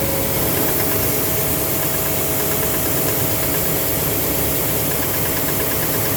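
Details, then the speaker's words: 2009 Silverado 3500 Duramax LMM diesel, 59,900 miles, cold start: loud idle clatter with faint uneven knock of varying pattern; knock intermittent since 57,500 miles, suspected engine/bottom end, injector or cracked flexplate considered, oil analysis shows no abnormal wear; cause unknown. "So, when I first started the truck, when it was cold, I noticed the knock was like, knock, knock, knock, knock. And knock, knock, knock, knock."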